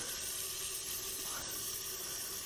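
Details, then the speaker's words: Nissan VQ40DE 4.0L from a 2010 Xterra, 203K miles, on an engine stand, not running, cylinder pressurized: soft steady hiss of air escaping past intake valves not seated, cams not engaged; air leaking past intake valves. "they're both kind of going crazy but if we come over here you will see that the cams are not engaged which means that those valves aren't seated"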